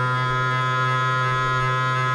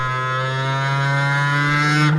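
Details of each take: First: Cheap 500W air-cooled CNC spindle mounted in a CNC with a 6 mm end mill, speed test: loud droning hum with strong buzzing low tone at mid speed from resonance; fine at low rpm, vibration less bad at maximum speed. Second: Cheap 500W air-cooled CNC spindle with a 6 mm end mill, mounted in a CNC machine and run at maximum speed: steady, even high hum with slight tonal shift, no harsh vibration, unlike resonances at lower rpm; normal running.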